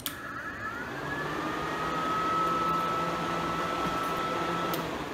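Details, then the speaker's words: Twin electric cooling fans wired with a 5-pin relay running both in series at low speed, half power, triggered at 180 degrees: steady even mid-pitched whirr, no rubbing or ticking; normal low-speed operation. "so we're driving our car it hits a hundred eighty degrees it's going to turn on low speed and half power"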